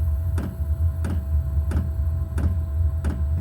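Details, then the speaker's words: New garage fuel heater starting up: the fuel pump clicks about every two-thirds of a second, then the burner fires with a steady low fan and burner roar; normal ignition and running. "It's pumping and kicking in. That's the pump. You can hear clicking. Pumping the fuel. And that's it firing up."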